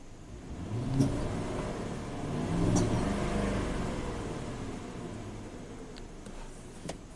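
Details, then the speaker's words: 2007 Ford F150 with a low-power complaint and stored P0012/P0022 cam timing codes: under heavy load the V8 nearly dies, stumbles and backfires with sharp pops, then recovers and smooths out. Cam timing reads way off; a clogged bank 2 catalytic converter is also suspected. "That's what the truck sounded like when it came in. It's running like garbage. But then it comes back to life and it gets smooth. You hear it backfiring."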